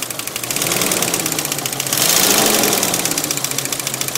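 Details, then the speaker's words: 1992 Jeep Cherokee Laredo 4.0L inline-six at idle: fast, uneven ticking/knocking, sometimes clicking fast, sometimes less, sometimes stopping altogether; cause unknown. "yeah sometimes it goes from uh clicking really fast to not clicking as much like it did there and then some once it stopped all together"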